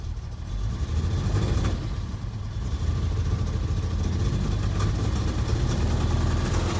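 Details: SM EFI engine misfiring: a deep, uneven rumble that stumbles irregularly and cannot rev above about 300 rpm; cause unknown.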